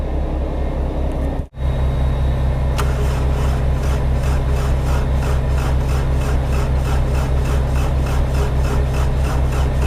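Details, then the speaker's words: 304 machine that always cranks slowly yet always starts: labored, dragging crank at roughly two to three compressions a second over a low drone, sounding as if it won't start; cause unknown. "This thing always cranks so slow, but it always starts. Hoping it don't let me down."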